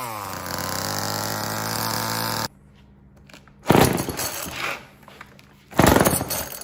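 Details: Old Homelite chainsaw, owner guesses 1960s or 1970s, revived after reassembly; crisp buzzy two-stroke rasp at steady high pitch, then rough bursts as it cuts; runs strongly and cleanly, though the owner says it could be tuned better.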